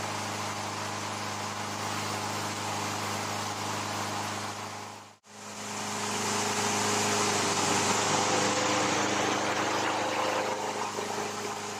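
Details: Older Craftsman 22-inch mower, Briggs & Stratton 6.75 Quantum L-head, after carburetor rebuild: steady, even drone at constant pitch with a brief dip midway; runs smoothly.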